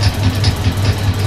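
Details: Suzuki GS550 converted to fuel injection with second-hand Triumph TT600 parts, test-firing the injectors off the crankshaft position sensor while spun at 560–570 rpm: crisp, evenly spaced tick about twice a second over a low hum; normal injector firing.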